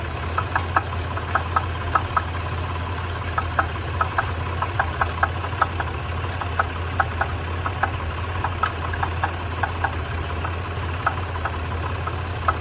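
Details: 1993 Nissan Pathfinder at idle, sharp metallic knocks about two or three per second above the engine hum; engine knock, cause unknown.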